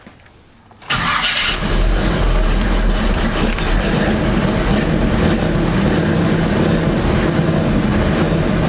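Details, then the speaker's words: Chevy truck after repair work, cold start: cranks, catches quickly and settles into steady, even idle with no knocks or squeals, still needing to warm up; sounds great; normal start and warm-up idle. "Still gotta warm up a little bit. What you think, Mom? Sounds great."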